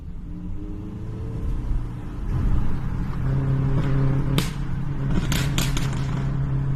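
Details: Popping sound: a low engine rumble with a handful of sharp, irregular pops in the latter half; cause not determined.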